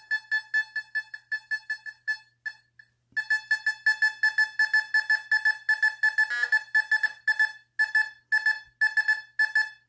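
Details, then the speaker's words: Fisher F44 metal detector air test in Custom mode with user-set tones on a quarter, detected beyond six inches: clear high beep about three times a second, steady and strong; normal target response. "i mean the people that said that this couldn't pick up a quarter it's six inches dep did this machine a big disservice look at this"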